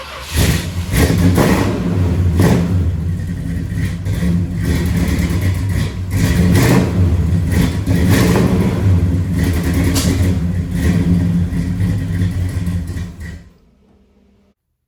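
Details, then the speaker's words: 1968 Dodge Charger 383 V8 barn find stored several years in a barn, first start on a little fresh gas with old fuel still in: uneven idle with lumpy irregular pulses and surges before shutdown; rough running, owner blames old gas; water pump leaking. "all right well as you can see the um chargers started up um sort of a little rough but uh it's i put some a little bit of fresh gas in it so we gotta get all the gas and junk out of it"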